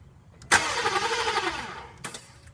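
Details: 2000 Volvo V40 with a good battery and a new starter and crank sensor, which stalled while running and now only cranks sluggishly for about a second and a half without catching; slow crank, no start.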